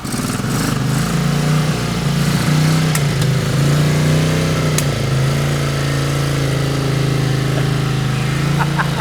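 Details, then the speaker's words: 1981 Honda CX500 V-twin just started after years off, choke partly working. Steady low rumble settling into an even idle with a slight early lift in revs; owner thinks it may need a tune-up. Normal idle. "I can't believe it's running."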